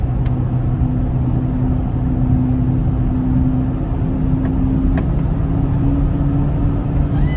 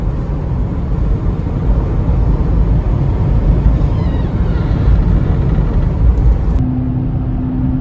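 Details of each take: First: 2004 Chevy Trailblazer LS EXT 4x4 4.2L 6-cylinder on a test drive with the spare tire fitted. A steady low hum and slight vibration change with speed and seem to come from the front passenger side. The tire is ruled out; a worn wheel hub bearing is suspected. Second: 2004 Chevy Trailblazer LS EXT 4x4, 4.2L six, after new front wheel hubs: coasting downhill on smooth pavement, only even tyre and road rumble, no growl or hum with speed; earlier front passenger hub hum fixed.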